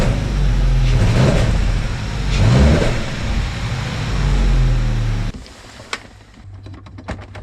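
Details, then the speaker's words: BMW E46 Touring N46B20 engine, problem appears at working temperature; uneven stumbling idle with one cylinder dropping out, misfire moved from cylinder 2 to cylinder 1 after swapping coils, so diagnosed as a faulty ignition coil. "the diagnostic tool told me that the misfire moved from cylinder 2 to cylinder one so we have diagnosed that the issue is with the coil"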